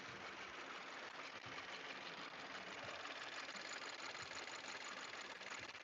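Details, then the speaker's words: 2018 Subaru Forester XT, engine warmed up and out of warm-up mode, at idle: light fast chatter about three per second, uneven and not locked to engine rotation. Owner suspects lifter or roller rocker; source not yet pinned down. "it's like a little bit of chatter it's not constant with engine rotation which is weird"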